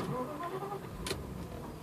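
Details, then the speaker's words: 1994 Mercedes E420 V8, engine warm after a short drive: brief starter crank, catches within about a second and settles to a steady low idle; starts cleanly, normal engine start. "So it took about a second to start up, pretty normal."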